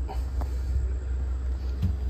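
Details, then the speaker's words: Furrion 12V refrigerator in a 2024 Brinkley camper with an intermittent no-cooling complaint, pulled out for warranty diagnosis. A low, constant hum with faint handling thumps shows the compressor is running normally, with vibration felt. "let's see if the compressor is running the compressor is running I can hear it and feel the vibration"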